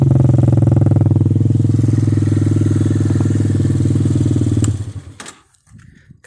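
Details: 150cc ATV with 12-inch wheels, just started with brake held, sound near the exhaust: even strong putter at about three and a half beats a second, steady until shutdown; clean healthy idle, starts easily.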